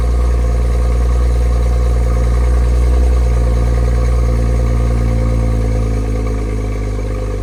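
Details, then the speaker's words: $1,000 junkyard BMW X5 on cheap temporary oil, cold start: deep, steady idle with an even beat, no knocks or ticks, easing slightly as it warms; normal cold-start idle. "Man, that sounds amazing. It's crazy how that stopped. And it's gonna quieten up."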